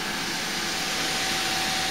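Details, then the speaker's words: AMD FX-8120 PC with Radeon HD 6750 running Windows 11 under full load, CPU about 60°C as reported by the motherboard: loud steady rushing whoosh with a faint tone from the CPU cooler fan at full speed. "Okay, so now this thing is running wide open. And you can see that CPU temperature is up at about, at least reported by the motherboard, almost 60 degrees Celsius, and here it says 42-43. And I can hear that fan, it's just a screaming."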